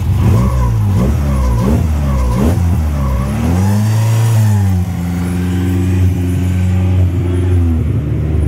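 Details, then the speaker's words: Honda Civic EK with a new timing belt and tensioner: clean rise and fall on revving, then a smooth, even idle with no knocks or ticks. The engine sounds solid and undamaged; the idle issue right after startup is suspected to be the IAC. "Yep. It sounds solid. It doesn't sound like you fucked the engine up."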